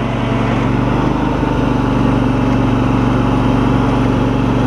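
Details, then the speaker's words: John Deere LX188 lawn tractor, riding after a fuel system overhaul: steady engine drone while moving with no whine or growl from the drive; the hydrostatic transmission runs quiet and healthy. "like I said let's just take a ride listen to this transmission quieter"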